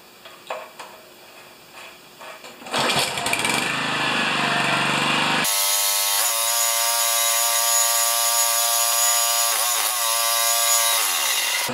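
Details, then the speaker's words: Older Honda mower after oil-leak repair, starting on choke: scuffling and rough sputtering pulls before catching to a steady drone; choke not closing fully, causing hard starting. "all right it just might not be reacting to the Richer condition so we're gonna we're gonna focus in on that the best we can"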